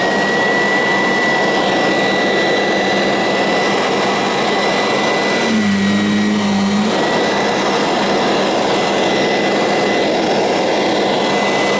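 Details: Kirby Sentria 2 vacuum with a retrofitted metal fan: loud, steady high-pitched whoosh with an even whistle on top, holding a constant speed. Normal, smooth running.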